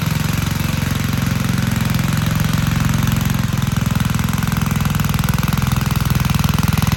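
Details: Vintage Gravely Model L garden tractor with Jenkins overhead-valve conversion, bought at estate auction, running after only cleaning points and adding gas: fast, even single-cylinder thump, steady with no stumbles or misses; engine running healthily.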